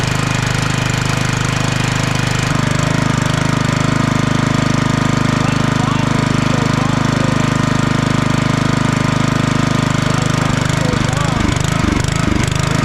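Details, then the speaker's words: Log splitter small engine unused for about 2 years, old fuel, running on choke; fast steady chug that surges and dips as the governor jumps back and forth; owner suspects the carburetor needs cleaning. "I don't know if you could hear me while it was running there the governor it's jumping back and forth It's not acting right"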